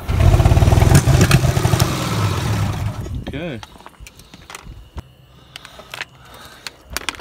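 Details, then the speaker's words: 1968 International C1100 pickup at its first start after about 36 years: catches and runs roughly with a fast, lumpy beat for about three seconds, then dies; choke stuck open and a loose spring found, so it won't hold idle. "okay well it appears that we are stuck in the open position that'll be the next thing to take a look at other than that sounded okay sounded like it was firing"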